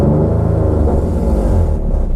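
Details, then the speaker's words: Nissan 370Z drift car with decat pipe: deep rumbling engine with a wet, flatulent blowing under each pulse; an O2 sensor bung has come out of the decat, leaking exhaust. "it sounds like a wet fart i think it's leaking it sounds horrible doesn't it i think it's just a gasket right"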